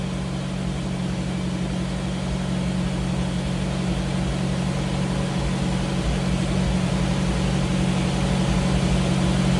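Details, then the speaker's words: 1985 Jeep CJ7 with newly installed Holley Sniper EFI, just after first startup: steady even idle with a smooth low rumble and no misses or knocks; engine idling healthy. "you can hear it's running really smooth I've been messing around with it for a while"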